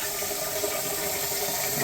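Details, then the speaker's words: After a leak check, with the water run for extra pressure: steady rushing water with an even flow and no gurgling, glugging or surging; the drain runs freely and normally. "sounds really good all right guys that's about it we're done"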